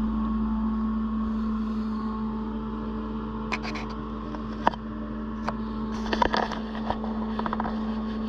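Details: Autoterm Air 2D diesel air heater, just rewired, in a Peugeot Boxer L3 H2 campervan conversion, first start-up at night: steady low blower drone with soft fuel-pump ticks as it fires and begins delivering warm air; normal start-up.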